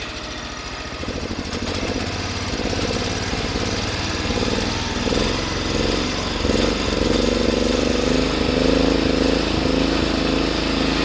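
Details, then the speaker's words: Cub Cadet 1100 garden tractor, engine with new gaskets, standard bore, burns no oil: steady, fairly quiet idle with a light loose rattle from something loose, not a rod knock; normal idle. "and as you can hear it's pretty darn quiet but i'm pretty sure the thing doesn't have a rod knock because it hasn't had any"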